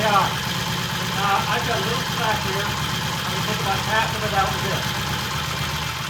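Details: 1968 Triumph T100 twin with a new battery, with throttle cable slack adjusted: steady, even idle with a soft regular beat and no misses or hunting. Timing is spot on, mixture and idle good.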